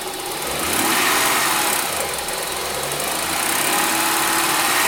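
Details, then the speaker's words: 2003 Honda Pilot AWD, 114K miles, previously weak cranking then no start, timing belt found wrong and repaired, top covers off: steady idle with busy even top-end chatter, no misses or knocks; normal healthy idle. "Oh, that sounds so much better. Oh, that sounds so much better. Let's go look. Oh, that sounds like Violet."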